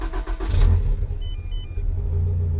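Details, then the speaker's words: Turbo Toyota AW11 started after replacing a failed alternator: catches quickly after a brief crank and settles into a steady, even low idle; voltmeter then reads above 12 volts, starting and running normally. "So right now I'll start it. I'll show you guys that that's working."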